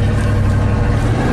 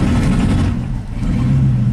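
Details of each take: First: 1987 GMC 1500 plow truck V8, previously misfiring and stalling when warm under load; the original ignition control module, cap and rotor were replaced. Scope shows the EST signal coming online as revs rise; a deep, steady rumble under load with no stumble. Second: 1987 GMC 1500 plow truck V8, warm, floored in gear: pulls then sags and stumbles twice about three seconds apart; ignition misfire under load.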